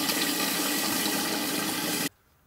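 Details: Toilet cistern with plastic inner tank (condensation-free type): steady hissing rush of water as the float inlet valve opens and refills the cistern normally.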